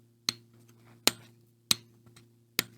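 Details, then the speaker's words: Howa 1500 rifle converted to 6.5 Creedmoor in Woox chassis, microphone held close: four sharp metallic clicks as merely laying the stock on moves the Timney trigger's safety lever, even firing it; a part conflicts with the lever. "Yep, I see it still moving the freaking safety lever. Turns out, it's the dang this part right there. That part right there was conflicting with right there."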